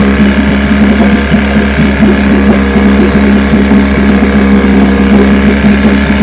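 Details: Vintage two-stroke outboard (restored then repaired), Tuesday 5-minute run, started after extra primer pumps; steady, even buzz with constant low hum, no misses or knocks, ran good.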